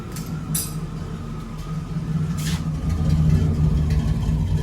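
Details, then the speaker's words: Suburban/Silverado truck engine, starts fine after key-on fuel pump noise: low rumble that sags and swells, idle hunting up and down and nearly stalling, then runs better with pinging; cause not yet clear. "And I mean, it starts fine, but it is something still with this damn engine because it still does this where it's go down in idle and up a bit and works back and forth."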